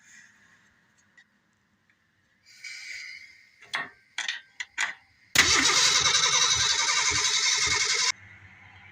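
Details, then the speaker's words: 'Franger' project. A fast, even starter whirr lasts about three seconds and the engine never fires; the owner finds no fuel reaching the engine and suspects no spark. "well we're not getting any fuel up here and from what I can tell we're not getting any spark because I assume we'd get at least a couple tops off of uh fumes"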